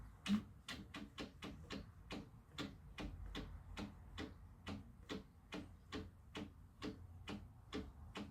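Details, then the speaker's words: Chevy 307 V8 pulled from car for having no power, turned slowly by hand in garage; sharp uneven taps about twice a second with each jerk of rotation; owner suspects this caused the low power; jerking tap when turned by hand. "See how it jerks like that? I think that's why this engine was so low on power."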